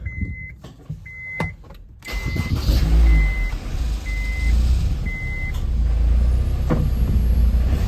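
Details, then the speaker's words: 2004 Honda S2000 after fixing catalytic converter core that had broken free from its sidewalls: a few chime beeps, engine starts and revs lightly with clean exhaust note, no tinny rattle; rattle fixed. "now so before if I did that you would hear it rattle but there's no rattle now"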